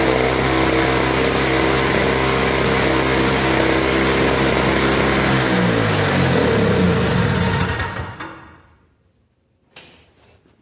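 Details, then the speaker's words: Lawn-Boy Insight single-stage snowblower two-stroke on 50:1 mix, customer complaint of bouncing rpm, cold start on choke and prime: note wavers up and down then falls away as it stalls; rpm surging at cold start. "might have been able to hear the rpm surge a little bit we're going to run it a little bit longer and see if we can warm it up and see if that goes away"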